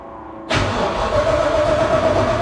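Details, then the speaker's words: Restored Ford F-150 pickup: needed more than two gas-pedal pumps, then fires at once and settles into a steady, even idle; normal cold start. "well it definitely it took two more than two pumps of the gas pedal but it did definitely fire rate up"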